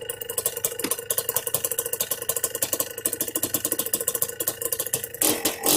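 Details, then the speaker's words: Yamaha Blaster 200cc two-stroke with FMF pipe, after needle, clip, pilot air screw and idle adjustment: light steady two-stroke idle, popping few beats a second, no hunting; healthy idle. "I like that. The idle's good right there, but so we can get some more shots of it running."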